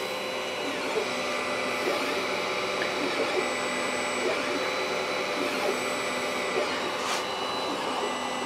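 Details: Used Sovol SV01 3D printer with BLTouch, dual Z steppers, Titan extruder and E3D V6 hotend on a Creality mainboard, printing: constant stepper whine and buzz over fan hiss; noisy steppers on basic drivers, not silent Trinamic-type drivers.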